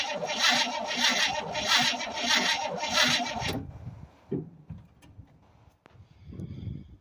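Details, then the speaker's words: 1967 Chevrolet C20 pickup, first start attempt in several years, fuel poured in, battery running low: slow rhythmic cranking then the starter stops, only a faint pop, never catches; cranks but won't start, owner plans to check the points. "I got her to pop, so I know she's gonna run now. Just because I heard her pop. Pretty good sign."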